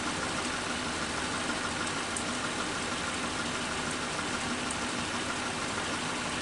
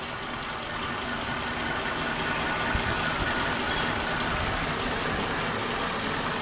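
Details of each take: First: Suzuki Katana carburetor engine after cleaning with carb cleaner and idle mixture screw adjustment (turned in until rpm drops, then backed out 3/4 turn): steady, even idle around 750 rpm with no miss, hunt or knock; normal idle. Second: Warm Suzuki Katana carbureted engine idles too low, slow and labored with a lazy, uneven beat and no crisp pickup; the idle air/mixture screw is set too tight (too lean), so the engine speed sits too low.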